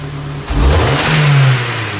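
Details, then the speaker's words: 2009 Ford Focus with CAN-bus U-codes, immobilizer light out: short clean blip where the revs climb smoothly and settle back with no stumble or misfire; engine and RPM signal working normally. "accelerating fine. So, RPM is working."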